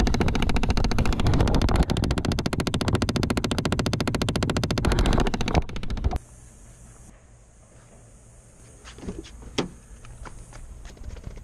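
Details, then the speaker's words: Chevy Impala/Malibu (2006–2016), key on: fast, even clicking about three to four per second behind the dash, then stops; owner thinks it is the HVAC air door actuator, which gets replaced. Clicking behind dashboard. "I think I think I know what it is I think it's the air door actuator for the a seat"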